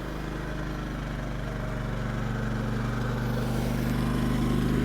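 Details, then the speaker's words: Firman WH3200iE dual-fuel generator powering a TV as an air compressor load switches off: steady, even drone that settles smoothly, purring with no misses or surging; normal running. "the tv is still going so hopefully that's a good enough test it's just kind of purring a little bit"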